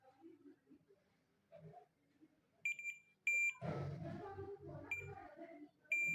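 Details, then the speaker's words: Suzuki GS150 self-starter armature multimeter continuity test, probe touched to each segment in turn: four short sharp beeps, beep required on every point; continuity good across armature segments. "आवाज़ आ रही है, हर point के ऊपर आनी चाहिए।"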